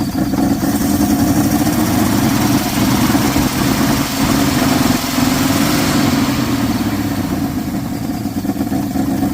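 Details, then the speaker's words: 1979 Dodge truck, sat over 10 years with an engine problem, fed extra fuel by hand: loud, lumpy idle with uneven stumbling beat about twice a second, oil blowing out one side; major misfire, engine judged no good. "Definite major miss. The oil blowing out of that side. This motor is definitely no good."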